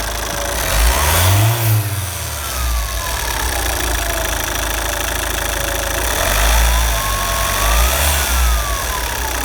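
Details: Opel Zafira 1.9 TDH diesel: high whistle rising and falling with revs over diesel clatter, climbing sharply as revs increase to 4000 rpm; turbo whistle.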